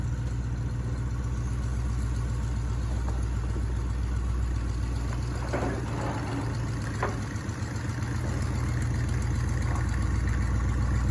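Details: 1984 Chevrolet El Camino V8, first start in almost 4 years: runs steady but at a noticeably high, fast idle; caused by two disconnected vacuum lines.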